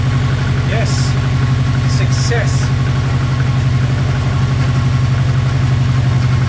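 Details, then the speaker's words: Subaru Impreza WRX rally car engine, taken from a crashed car and never run by the owner, on its first startup after a missing main relay was plugged in: a deep, even low idle with no knocks, ticks or rattles. Normal idle. "So I'm very happy. Fantastic result to have the engine fire up with no knocks and no rattles. And yes, that was a genuine first startup."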